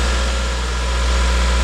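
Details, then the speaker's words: 2016 Subaru WRX, FA20 engine, after owner retightened a pulley suspected loose as the cause of a new noise: warm-up idle has calmed, steady even idle with smooth low hum, no knocks, ticks or wandering speed; normal idle. "So, the warm-up idle speed has calmed down and it sounds normal now."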